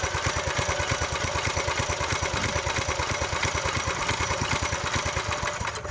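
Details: Small single-cylinder tiller engine, after about 20 years sitting, restarted after being shut off with the stop lever and given gas; quick, regular putter with evenly spaced pulses and no skips: normal idle.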